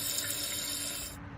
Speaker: this is actually the sound of a toilet filling up I've flushed it just to give you an example